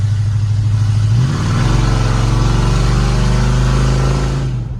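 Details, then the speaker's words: 32-year-old Ford F-150 that sat over 10 years and ran rich, after replacing the sooty spark plugs, on a test drive: deep steady engine note climbing smoothly under load, no popping or stumbling, downshifts well. "it's doing way better it downshifts really good it's not popping anymore because there was so much fuel it's overall a lot better and runs a lot smooth"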